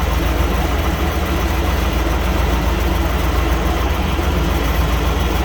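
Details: 1998 Chevy C1500 just after the clogged fuel filter was replaced to cure a crank-no-start. Deep, even idle rumble at constant speed with no misses, ticks or knocks. Normal idle after repair.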